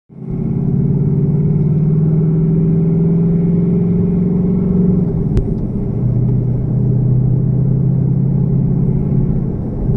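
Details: 2018 Mustang GT V8 at cold start after an oil change to Motorcraft 5W-30 synthetic blend: deep, busy idle rumble with a light, uneven rattle. Owner suspects piston slap and feels the oil quieted it; not confirmed.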